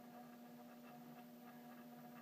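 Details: Downstairs mechanical doorbell chime in a 1-year-old house after RING PRO install, existing 16V transformer, power kit on the other chime: steady electrical hum/buzz from the front striker vibrating.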